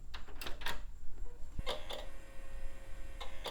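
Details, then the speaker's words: Compaq Presario 5000 early-2000s translucent desktop, first power-on after dust cleaning and refresh: hard drive makes irregular sharp ticks and chirps over a low hum while spinning up and sounds very sick, then recovers and the system posts. "oh that hard drive sounds very sick oh I think the hard drive just recovered and we are posting"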